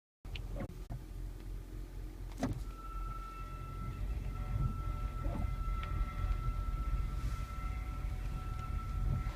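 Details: Toyota Prius driving, two days after new front brakes were fitted: a steady, fairly high-pitched whine over low road rumble with a few faint thumps; owner unsure whether it is safe to drive home.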